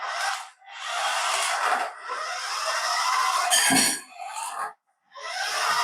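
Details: Paladone RC VW Campervan after gearbox fix with spacer washer holding the gear in place: short bursts of high buzzy gear whir as the motor spins up, gears mesh cleanly without skipping; normal drive operation.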